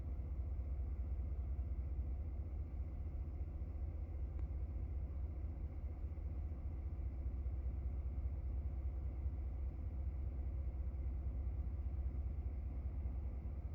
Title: 2017 F150 5.0 Rough Idle and Stall